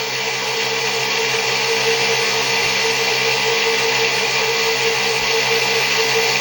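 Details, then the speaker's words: 6-pole zero force motor (ZFM) with wider 1.5" neodymium magnets and a roughly 1/8" magnet-to-coil gap, running unloaded at 48 V with one firing-circuit leg disabled: a fast, steady bright whine with a faint uneven flutter, suggesting a slight rotor imbalance. "and it's clear a little bit lopsided but you have to deal with that"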